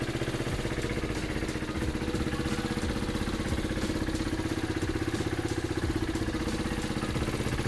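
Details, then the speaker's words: 2016 KTM Duke 390 BS3 (373cc), 27,837 km, parked a year with engine issues, first cold start: rapid steady ticking clatter about four per second over the idle, plus blue smoke. Cause unknown. "The bike starts, but it's got a awkward weird noise from the engine, and there's also blue smoke coming out."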